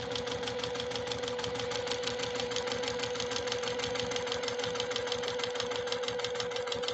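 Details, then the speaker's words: Serviced JUKI TL-2020 PE Platinum Edition sewing machine stitching about 4–5 oz leather layers; steady mid-pitched hum with fast even stitching patter, no clank, tinny or plastic rattle, running smoothly. "I like the sound of this machine. I just do. It runs really, really well."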